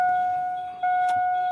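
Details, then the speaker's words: 2002 Cadillac Escalade EXT with original 6.0L and a new starter; key turned to start. One small click under a steady dash chime, then no cranking. Click, no crank; owner suspects the neutral safety switch, not yet checked. "you hear it you hear that little click that's all I'm hearing"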